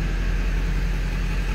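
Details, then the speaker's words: 1997 Ford F350 XLT crew cab 4x4 with 7.3 L Power Stroke diesel, 95,811 miles, one owner family since new. Idling after a glow-plug start. Deep, steady, even diesel idle with no knocks or rattles, exhaust not smoking. Normal, healthy engine. "Diesel runs good, sounds good. Slip around to the back so you can hear this. Take a look at the exhaust. Not smoking. Good sounding truck."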